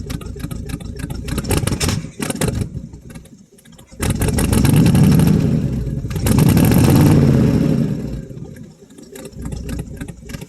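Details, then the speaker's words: 1967 Chevrolet C10 small-block V8 cold start after three to four years sitting, glass-pack exhaust: deep rumble swells twice as throttle opens and holds, then settles smoothly; revs cleanly with no misses. "hold it up for a little bit once you get it RPM up still sounds good anyway give it a little bit of throttle bring it up and hold it"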